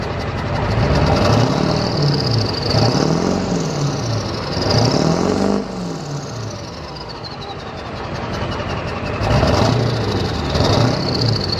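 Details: Straight-piped dually diesel truck that smokes only when revved: exhaust beat breaks up slightly as revs climb and fall, a light misfire on acceleration; owner suspects the misfire causes the smoke, unconfirmed.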